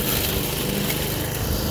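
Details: Toro commercial 53 self-propelled mower, possibly Suzuki engine, after refitting belt that was off; even steady small-engine drone, no surging, knocking or belt squeal; normal running.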